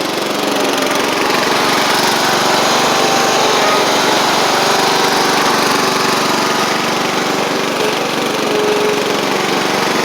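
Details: Sabre riding mower after repair (drive belt, blades, head gasket), about 32°F outside: even, steady engine drone at constant speed for ten seconds, no knocks, misses or squeals. Residual oil smoke from the old head gasket burning off. Normal running.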